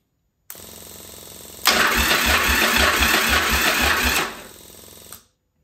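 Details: Yamaha Virago 1000 under restoration, with a new starter and rewired high-current starter leads; spark plug caps not yet reinstalled. Even, quick cranking thumps at about four per second for a few seconds as the starter spins the engine strongly and cleanly.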